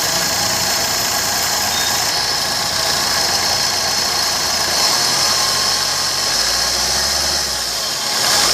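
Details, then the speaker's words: Maruti Suzuki Swift VDI diesel at idle: steady gritty, grinder-like rasp from the AC compressor pulley bearing, heard from start-up; fix requires removing front bumper and intercooler to take out the AC compressor. "तो दोस्तों आवाज जो है इसके AC compressor में है"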